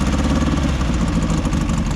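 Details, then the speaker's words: Air-cooled VW flat-four dune buggy after low oil on a trail trip: lumpy, uneven idle with stumbling low beat and missing pulses; number 3 cylinder not firing, oil pushing past the rings. "number 3 isn't firing anymore. Oil's pushing past the range."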